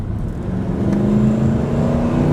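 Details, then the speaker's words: 1994 Ford F-150, 178k miles, warmed up, hard acceleration onto interstate: strong engine note climbs steadily without stumbling, shifts firmly through the gears with no hesitation; normal full-throttle acceleration. "see it just shift it through the gears nice and firm no hesitation"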